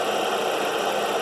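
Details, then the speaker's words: 2008 Dodge Caliber at idle, alternator and two idler pulleys already replaced, tensioner then fitted: steady mid-pitched whirring drone with no knock rhythm, accessory drive noise, source not yet pinned down, not sounding like alternator. "i've already replaced the alternator um two of the uh idler pulleys and for some reason it came back to me and it's still making a noise"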